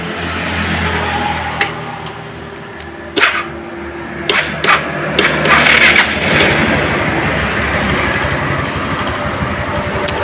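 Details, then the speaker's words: Suzuki Spin scooter after the carburetor was reassembled: a few clicks, then it starts and holds a steady, even idle with no hunting or surging. Idle now normal. "Kelihatan di sini untuk langsamnya sudah normal ya. Tidak ada telat lagi ya."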